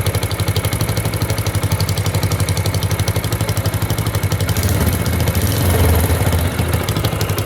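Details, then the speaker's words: Yamaha YBR125 single-cylinder motorcycle idling in cold weather: loud, sharp puffing exhaust from gas leaking at the exhaust/silencer joint on the cylinder head side, noticed as a changed exhaust sound while riding; seal replacement needed. "तो इस sound से clearly पता चल रहा है कि जो exhaust silencer है जो अटैच है हेड वाली साइड से, वहाँ से एक्स्ट्रा शोर आ रहा है। इसका मतलब ये है कि यहाँ से कोई गैस लीक हो रही है।"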